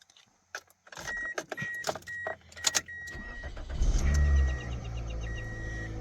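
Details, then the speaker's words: Toyota Corolla with intermittent no-start, after reseating a relay suspected of oxidation or excess resistance: door chime, key, brief crank, engine catches into steady idle; normal start. "And it starts. So, it's either the fact that that one, this relay has a little bit too much resistance on it, which it can affect your circuit that way."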